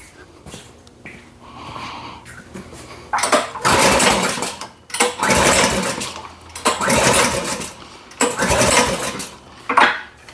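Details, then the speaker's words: Powersmart snowblower brought in after a customer's failed repair attempt, fuel on and primed: repeated pull-cord bursts, four or five strokes, each spinning the engine briefly with no catch; cranks but won't start. "Try again. Shoot. Oh, she's not wanting to start."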